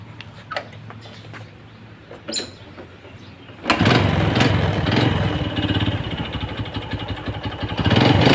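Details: Honda Wave 100S that burned oil and gave white smoke, after cylinder rebore/replacement and spark-plug thread repair: starts after handling noise and settles into a steady, even putter that picks up slightly; sounds healthy.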